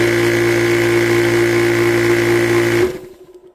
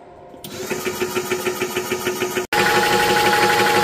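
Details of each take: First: Old worn PCP air compressor, about 4 years of hard use, run briefly with lines ripped off: steady motor drone with a quick, even pumping beat, then it winds down and stops; it no longer builds pressure because the cylinder has given out. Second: Orcair Thunder 4500psi PCP compressor set near 4,500 PSI, about 25 minutes into filling an SCBA tank (up about 500 PSI): even piston thumping, roughly three beats a second, louder as it works harder; normal running under load.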